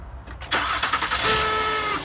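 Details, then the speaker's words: Honda car at engine start: cranking burst settling into a steady high buzzing tone, diagnosed as a faulty starter motor on the transmission behind the dipstick, to be replaced. "Alright, so that noise is the starter."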